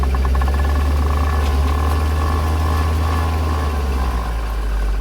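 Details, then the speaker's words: 40,000-mile 2004 C5 Corvette on test drive: heavy low rumble with rough shudder, three to four pulses a second, from the rear end; suspected worn friction modifier in differential fluid, less likely internal differential failure; fluid change planned. "I'm pretty confident that the vibration and the chatter that I'm hearing come from the back end"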